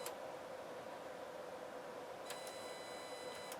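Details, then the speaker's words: Sony TA-535 integrated amplifier with scratchy volume pot: a steady mid-pitched whine with bursts of shrill ringing and clicks from a faulty spring reverb unit (two transducers and a spring). "That's from the reverb unit. It's got a spring in there. 2 transducers and a spring."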